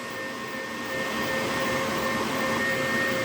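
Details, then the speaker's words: HP EliteDesk 800 G2 SFF with the power supply fan's tacho wire disconnected: loud, steady, airy whir with a fixed whine. The fan runs at full speed with no speed signal, so a fan detection error appears and the computer shuts off. "so it's detecting that we haven't got the the two wires to sense the fan is working press enter and the computer shuts off"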